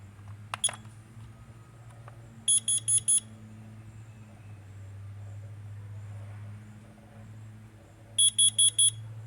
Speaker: you could go ahead and tell that this one's four beeps and this one's three so if you hear a three beep that's a that's a smoke if you hear a four beep